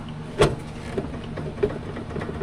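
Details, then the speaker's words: Honda/Acura suspension check on ramps: two sharp, hollow clunks about a second apart as the sway bar link is rocked by hand; worn-out sway bar links, worse on the driver's side; CV axles show no play or boot damage. "Worn out sway bar links. That is the driver's side where the sound is worse."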